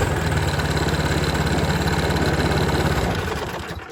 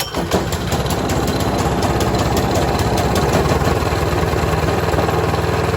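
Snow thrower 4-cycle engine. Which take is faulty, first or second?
second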